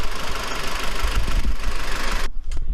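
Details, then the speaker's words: Kia Cerato four-cylinder, 676,087 km, warm, after fixing a blown injector seal (cylinder 4 compression about 10 vs 12 on others): steady, even idle rumble with no misses; running stably, valves still due for adjustment. "Короче, суть в чем получается. Двигатель у нас вот работает, все устранили."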